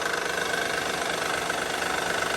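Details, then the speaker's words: 2009 Honda Pilot, J35 3.5 V6, 207K miles on original timing belt, idling; mild quick even tapping, no deep thumping, seemingly from rear bank (bank 2); suspected cam or timing belt issue; teardown found failing cam: valvetrain knock from worn cam lobes. "but we either have some noisy cam issues going on here, or we've got something failing in the timing belt system."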